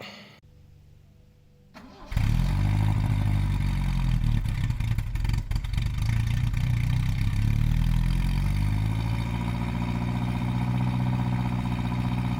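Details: 1971 Vauxhall Firenza SL 2000, LHD Canadian import, owners believe displacement is now above 2000cc, cold start: quick crank, catches and settles into low thick rumbly idle, no knocks or misses; healthy.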